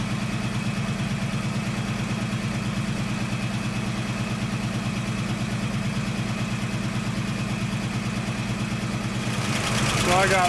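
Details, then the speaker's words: 1969 AMC Javelin 290 V8, carbureted, cold start after sitting about six months: steady idle with a light even tick about three a second; owner suspects a lifter not yet pumped up; accelerator pump leaking fuel. "it sound like one of the lifter need to get pumped up where it setting right there"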